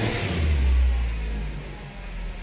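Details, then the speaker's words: 2010 Nissan Cube CVT, car jacked up, in reverse with throttle floored after codes were cleared: the engine swells in a low rev flare and sags with little pull, no throttle response, the transmission slipping and going into limp mode. "I went into limp mode let's see if there's any codes now"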